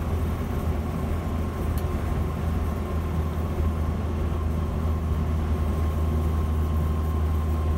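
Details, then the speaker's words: 1976 Land Rover Series 3 109 with a 2.25 petrol engine, driving after a new exhaust was fitted. Steady low drone, no blowing or rattle, engine purr rather than exhaust roar; a vast improvement, though still noisy with no soundproofing. "Definitely an improvement, even though it is still noisy. Not quiet as the vehicles, no soundproofing on anything. But I can hear more of an engine purr rather than an exhaust roar."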